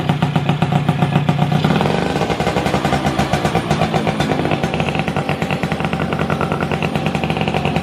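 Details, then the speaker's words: Yamaha F1ZR two-stroke engine, received for repair, before teardown: idling with an uneven, clattery rattle at about four a second from the middle and clutch area; crankshaft bearing and clutch damage suspected. "Jadi ada sedikit suara di bagian tengah Hai sama kopling dan teman nanti kita buka aja biar lebih jelas kayak gimana kerusakannya ya"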